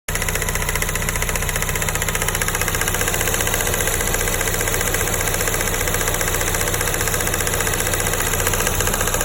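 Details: Honda S2000 petrol engine idling steadily with a fast, light ticking on top of the running sound.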